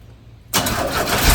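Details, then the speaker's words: 1981 Chevrolet C10 V8 revived after sitting: quiet, then engine catches into loud, rough rumble revving very high with an odd rattle; owner wonders if fan hits something; high revs later traced to disconnected throttle return spring. "what not sure what that noise was there though is that fan hitting on something sure revs up the high heaven"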